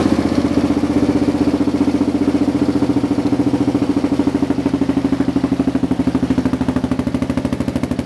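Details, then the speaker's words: Kawasaki KLR650 after installing a Two Brothers slip-on exhaust and mid-pipe, stock fueling; lumpy single-cylinder idle with small exhaust pops about two to three a second at standstill, not while riding; owner thinks it needs a Dynojet kit/tune. "It's backfiring a little bit when it's sitting still, but it doesn't do that at all when you're driving it. So I think it still needs a little bit of a tune."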